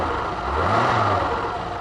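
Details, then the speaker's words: Renault Alpine V6 Turbo (PRV engine), abandoned for years, after a stuck injector was replaced, powered by a Nissan Leaf lithium-ion battery at slightly higher voltage. Even idle and a smooth rev with no stumbles; it runs well. "Engine बढ़िया चल रहा है क्योंकि मैंने पिछले दिनों इंजेक्टर बदल दिया है।"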